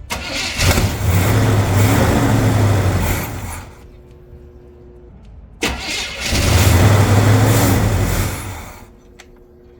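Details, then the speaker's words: Big block Chevy C30 Camper Special square body, sitting untouched for years, starts and revs twice, then settles into a deep even rumble with no knock or miss; runs decently. "happen it sounds good you know what it sounds pretty decent for uh I don't even know did he even tell us I think it was 10 years somebody died and it wasn't touched for 10"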